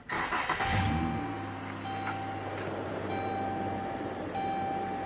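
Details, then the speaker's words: 2011 Dodge Grand Caravan with battery light on and code P0622 alternator field control circuit: engine starts and idles with a thin, steady belt squeal sharpening near the end. "you hear that belt squeal so two things you want to do is you want to make sure um first of all let me run over grab my light so i can show you guys some stuff you want to make sure with that bell squeal you want to make sure that belt's not slipping"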